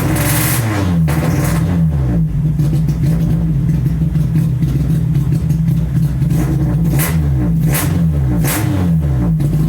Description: Test start and poor response ultimately traced to MAP sensor and intermittent #4 injector.